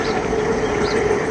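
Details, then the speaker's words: LG 1.5-ton window AC: steady loud mid-pitch hum over airy rush with no speed change, bothering the customer; noisy fan motor, to be replaced after removing cooling coil and blower lock. "Motor का आवाज़ है ये, काफ़ी तेज़ आवाज़ ये कर रहा है मोटर का साउंड, जिसकी वजह से कस्टमर को अच्छा नहीं लग रहा है।"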